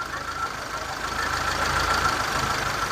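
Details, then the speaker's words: 2006 Mitsubishi Lancer waste-spark ignition, hard starting, loss of power, idling: uneven idle with irregular stumble about three times a second over hissy background; test light along plug wires finds one wire arcing, causing misfire. "this let me know that look we found one so we have we definitely have a p right here this plug wire is"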